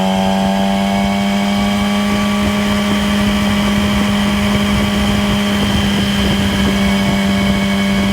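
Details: 2008 Yamaha R6: loud steady engine at high revs with clear, fairly even high whine/whirring, most audible at 6-7k rpm cruise range, likely present above and below, heard through downshifts; drivetrain whine, cause unknown.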